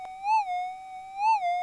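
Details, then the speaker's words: Minelab GPX metal detector after auto-calibration, with ground balance not yet set; as the coil is raised and lowered, a steady mid-pitched threshold tone swells and rises in pitch twice. "réglage de la compensation des effets de sol lever et abaisser successivement le disque et écoutez les variations"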